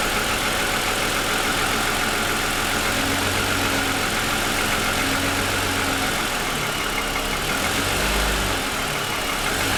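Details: 2007 Lexus ES350, parked with hood raised, within 10 minutes of a cold start: loose, uneven ticking knock over cold idle at three to four per second; owner says it is piston slap that has worsened over 2.5 years.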